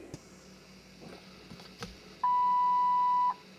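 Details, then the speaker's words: 2003 Mercury Grand Marquis, key on, engine off, after air suspension compressor replacement: one steady mid-pitched beep about a second in quiet cabin; low windshield washer fluid warning chime. "okay we can see the low windshield washer fluid is working"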